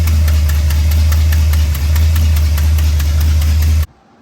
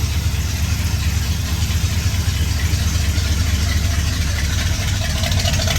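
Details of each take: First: 1966 Ford F100 starting quickly with new starter, then loud steady idle with rapid uneven puffing tick from an exhaust leak until shutoff. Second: 1966 Ford F100 V8, hot, just after exhaust leak repair with a new gasket, before a timing advance: deep, steady idle with an even, slightly rich burble, no ticking or puffing. Normal idle.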